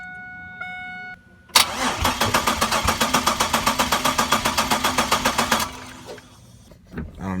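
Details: 1999 Chevrolet Camaro 3800 Series II V6, 5-speed manual, twin-turbo build, EGR deleted, air box sensor unplugged: starter cranks about four pulses a second for four seconds, never catches; crank no start, strong fuel smell, cause unknown.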